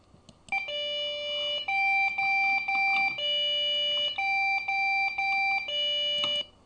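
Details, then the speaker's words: Desktop PC failing BIOS POST with repeating beep groups, three same-pitched tones then a lower one; memory error from a corroded or poorly contacting RAM stick. "if one of them gets corroded or doesn't make the right contact, the memory stick check fails during the BIOS post check and it just goes beep beep beep beep beep beep beep beep."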